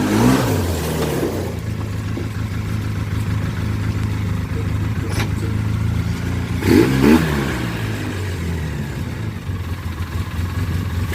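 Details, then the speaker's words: 2004 Polaris Sportsman 700 after new rear brake caliper, bearings and bushings, test ride: engine pulls cleanly, revs up and down through every gear without knocks or misses; strong, though shifting slightly hard, possibly needing gear oil. "Alright, so as you can see, it seemed good, seems strong, motor sounds good, goes in every gear."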